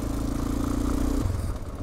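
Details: Honda Dominator 650 single-cylinder motorcycle while riding: fast, dry rattling clatter over the thumping beat that follows engine speed, a recurring engine noise attributed to loose valve clearance in the top end.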